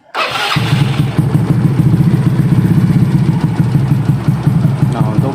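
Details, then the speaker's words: Yamaha Mio scooter after full engine rebuild with modified camshaft, Karisma piston, CVT fitted: starts easily, catches at once and settles into a steady, even low idle with no knocking or rattle; healthy, smooth engine. "untuk bagian dari mesinnya sendiri ini sudah sangat halus ya teman-teman. Meskipun nokenasnya sudah rubahan, ini suaranya terbilang cukup halus ya."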